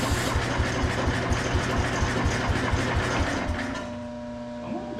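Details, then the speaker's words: Ford 100 tractor (auction buy) cranking on a questionable battery, carb not yet cleaned: the starter cranks in steady beats about twice a second with odd catches but never runs; spark is confirmed, and no fuel is getting through. "yep they're sparking so we just got to get gas to it"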